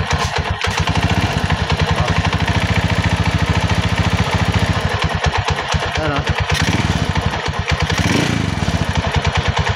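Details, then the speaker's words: Rusi 175 motorcycle engine idling with a fast, dry, Kubota-diesel-like clatter; cause traced to a worn, loose clutch damper, opened for repair. "tulog Kubota so pag ganyan ang issue mga padreng ang tutumbukin natin diyan dito sa kanyang parteng clutch Yung kanyang clutch damper"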